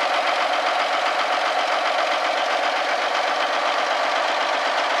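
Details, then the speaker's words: Old Kenworth diesel truck, first start in five years after long parking: steady, even diesel clatter at idle with no misses or stumbles, smoke looking good; healthy idle. "See if one will come to life. Atta girl. Smoke's good. Even smells good."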